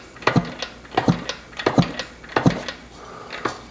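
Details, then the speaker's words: 1977 Yamaha YZ100, not run in over 20 years, kicked over with a little oil added down the cylinder: an even, strong chuff every second or two with no scraping. Compression sounds healthy, good against a finger over the plug hole. "she sounds healthy nothing out of the ordinary got some good got some good compression when I stick my finger Over the Hole"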